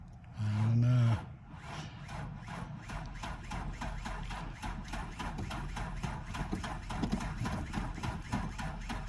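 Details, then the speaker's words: 1992 Ford Ranger XLT, 243,000 miles, long parked, cranked on a jump box that was not charged: slow, dragging starter turns, about two or three a second, never catching; weak cranking because the low jump pack lacks amperage. "should have charged the jumper box it doesn't sound like she has a whole lot of amperage we'll check our connections"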